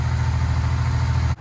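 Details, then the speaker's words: Harley-Davidson Dyna bought back from insurance after total, fuel line hooked directly past a suspect fuel pump: even deep low rumble holding steady with no misses or knocks before cutting off; healthy idle now it gets fuel. "oh yeah she likes fuel i don't think she was getting any before oh yeah she wants it did you hear the little hawk purr that's a good sign ladies and gents that's a good sign"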